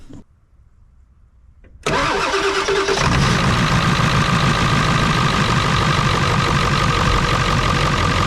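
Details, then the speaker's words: Ford 7.3 Powerstroke diesel, cold morning near 30s °F, hard starting below 50 °F, after glow plug relay replacement: short crank, fires at once, steady even idle clatter; normal cold start and idle, bad relay was the fault. "all right that's up and running good so I'm glad that was the problem was that glow plug relay"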